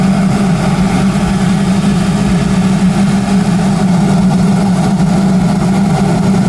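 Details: Audi A4 B7 with swapped BWT engine and GIAC K04 turbo idles cold at startup with a loud, steady low drone that wavers slightly, a strange noise that goes away after about 60 seconds; the old engine never did this.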